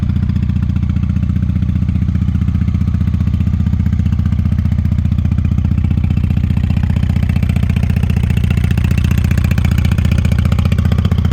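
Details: 1998 Honda Shadow 750 ACE V-twin, sat over 5 years, running after carburetor cleaned: fast, fairly even thump with very loud open exhaust bark, possible slight hesitation; owner suspects fuel issue from aging gas, pipes likely unbaffled.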